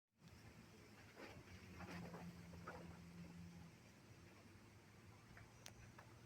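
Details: Kawamoto N3-206SH well pump, sold as junk with cracked black plastic part, water suction untested: steady low motor hum with an uneven light rattle on top; abnormal motor noise, cause unclear.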